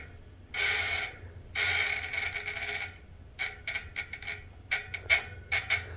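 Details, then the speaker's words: Industry Nine Hydra freehub after a quick clean-up and fresh grease (some grease removed to keep the buzz): crisp, high, even ratchet buzz in smooth bursts as the wheel spins and coasts, not too loud; healthy freehub. "put it back on just go straight not too loud anymore now let's do it that's how it sounds"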